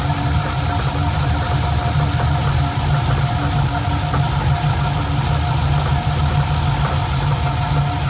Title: Knocking Noise?